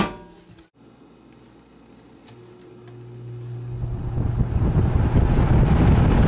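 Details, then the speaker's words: 1966 Lakewood Country-Aire fan after restoration and cleaning, fan blade had been loose: low steady motor hum, then airflow rush building smoothly as blades come up to speed; no vibrations, no unusual noises, no smoke. "Much better. No vibrations, no unusual noises, no smoke."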